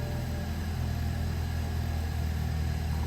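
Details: 2012 BMW 3 Series after no-start repair, first start with fuel lines just reconnected (some air in them): settles into a steady, even low rumble with no ticking, rattling or misfire; timing seems right, pending test drive. Normal running.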